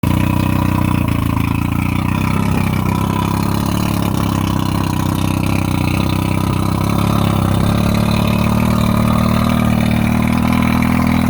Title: Rough idle and misfire 1995 115 Merc 2+2.